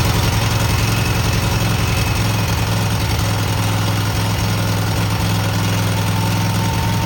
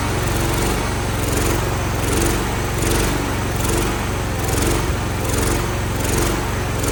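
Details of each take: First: Cub Cadet garden tractor twin just after new spark plugs, carburetor not cleaned, frozen choke, and an unlocated gas leak: an even, steady idle with a low throb and no misses or knocks. Normal running. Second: Revived Cub Cadet single-cylinder after WD-40 down a seemingly seized cylinder and starter-drive repair, old carburetor still on with a new one coming: a steady thump with a slow surge about once a second. Runs rough and smokes.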